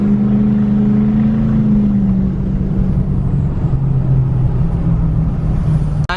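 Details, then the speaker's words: 2020 Duramax L5P diesel with Stealth 67 turbo, sport tune, warmed up, about half throttle, almost 35 psi boost: deep steady drone with faint high whistle building quickly; normal turbo spool. "So this thing, as you can hear, it comes into boost really fast."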